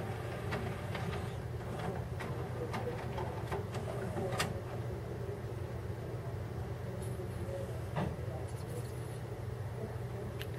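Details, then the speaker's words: Sony MHC-ZX30AV mini system 5-disc CD changer after its belts were replaced with elastic bands and the lens cleaned; quiet irregular clicks and soft whirring over a low hum as it seeks between discs normally. "hear it seeking. Sweet."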